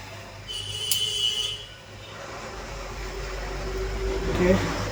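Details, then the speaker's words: Split AC after PCB repair for a no-compressor-output fault: remote beep, then fan airflow rises smoothly and the unit comes up to a steady run with no rattles; fan, outdoor unit and compressor start normally on restart. "Of ചെയ്തിട്ട് on ചെയ്തപ്പോഴും കറക്റ്റായിട്ട് ഫാനും outdoor യൂണിറ്റും ഒക്കെ കംപ്രസറൊക്കെ എടുക്കുന്നുണ്ട്. വേറെ complaint ഒന്നും ഇതിൽ ഞാൻ കാണുന്നില്ല."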